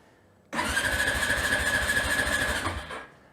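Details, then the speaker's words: Honda TRX350TM Rancher 350 ATV, ridden hard, smokes, engine noises, runs poorly, cylinder looks newly replaced; fires and runs rough for about two seconds then fades and dies — starts then stalls, cause not yet confirmed. "runs a little better than that. That's about all you get."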